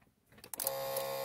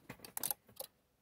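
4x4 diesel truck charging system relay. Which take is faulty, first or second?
first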